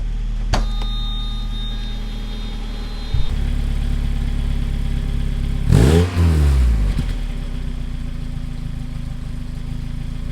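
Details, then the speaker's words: 1995 Mazda Miata after a new front pipe, catalytic converter and Borla cat-back exhaust: low steady idle, two clean revs dropping back smoothly; some lifter tick as it warms and occasional idle stumble noted. "Okay, there's a few revs. Definitely sounds a lot better than it did."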